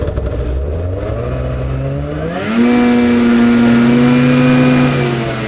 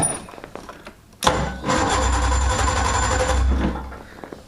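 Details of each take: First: Craftsman DYT4000 jacked up in the garage and run to full throttle to see how fast it goes: it climbs quickly to a high, steady, even howl with no stumbling or dips. It pulls cleanly without bogging. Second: Cold start of a two-stroke snowmobile (sled) while holding the throttle: a sharp catch, then a rough low burble for a couple of seconds that fades and dies. It still needs more choke.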